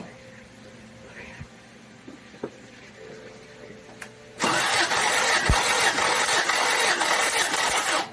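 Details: 1990 Toyota 4Runner 22RE compression test on cylinder three, after head and cam replacement and cam break-in: starter spins the engine at a steady, even beat of about three and a half pulses a second, no lazy or missing strokes; readings within spec. Normal compression test cranking.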